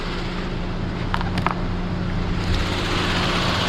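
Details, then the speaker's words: Genesis G80 used car, engine bay at idle: steady, even hum with no knocks, ticks or rattles; judged a normal, healthy engine sound during a pre-purchase inspection. "엔진 소음을 들어보시면 이게 정상적인 엔진 소음이에요 특별하게 뭐 다른 소음이 난다 라든지 그럴 경우에는 문제가 생기지만이 차량 지금 보시는 대로 정상적인 엔진 소음이라고 보시면 좋을 것 같고요"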